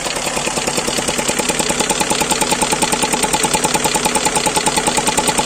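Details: GAZelle Business with Toyota 5VZ-FE petrol V6 at idle: sharp, even tick of about two to three beats a second, absent when first started and appearing shortly after; owner suspects an air leak after the throttle body, not confirmed.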